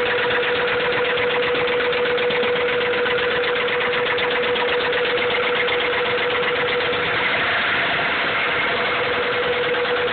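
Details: Honda B16 engine at idle with a fast, steady metallic tapping over a constant hum; rod knock is suspected, not confirmed.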